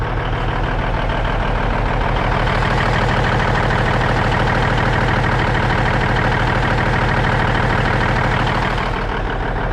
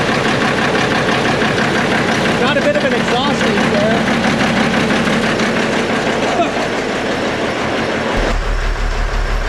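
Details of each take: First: Cabover diesel "Kenny" after setting the injectors and valves, idling while warming up: steady, even clatter and a firm low rumble with no misses or knocks, smoothing out and smoking much less; a normal idle. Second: Peterbilt cabover diesel "Kenny", first run after setting the injectors and valves, smoky and not yet warm: steady idle clatter with a sharp puffing tick on each firing pulse, about three a second; an exhaust leak.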